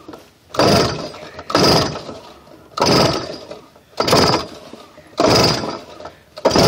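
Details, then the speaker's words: X1 pocket bike brought from non-running with new ignition, weak battery from faulty voltage regulator, started on choke; engine surges up and down about once a second instead of holding steady, rough running, still needs carb tuning. "so that's what it sounds like it still needs to be tuned but yeah thanks for watching guys"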